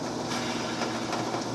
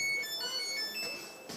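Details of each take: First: Samsung dryer drum bearing assembly spun by hand: gritty, rasping rush with fine uneven ticking; bad dry bearing, which had also damaged the felt belt, replaced and greased. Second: Samsung dryer test run after lubricating the bearings, replacing the bad bearing assembly and motor belt and fitting a new glued felt belt: start-up chimes then smooth, even, low hum without scraping or thumping; normal quiet running.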